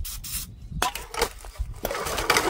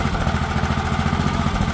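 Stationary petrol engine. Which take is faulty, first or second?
first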